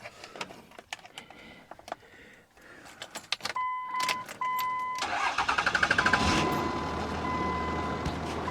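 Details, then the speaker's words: 2004 Cummins 5.9L diesel pickup, 614,586 miles, jump-started with a portable booster showing only two bars: door chime, rhythmic cranking, then engine catches and settles into a steady healthy rattle; nearly only diesel in the oil pan. "you believe that listen to that oh my God I don't want to run it too long because I know it's got nothing pretty much nothing but diesel in the pan but it fired can you believe that"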